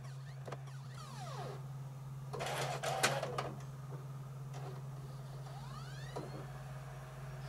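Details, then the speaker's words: PS4 Pro disc drive with a PS5 game disc (Spider-Man) inserted: quiet whirr repeatedly ramping up and winding down with soft clicks as it retries reading, nearly ejects, and eventually reports unrecognized disc. "it's trying to read it right you can hear what's happening it's ramping up and going down ramping up and going down"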